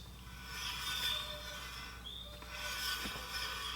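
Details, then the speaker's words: Heybike Ranger e-bike front disc brake rubbing: hissing scrape swells about every two seconds as wheel turns, pad rubbing the rotor before brake adjustment. "you can hear the rub"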